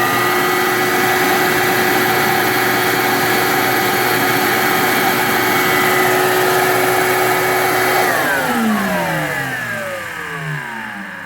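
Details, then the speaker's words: Shop vac after replacing its worn brass top bushing with a 608 sealed bearing: steady, even whine, then a long, smooth spin-down after switch-off; noise gone, motor turning freely. "and the noise is all gone the bearings working good and you notice we had a long spin down compared to before where it's shut down pretty fast so it's motor is moving pretty freely"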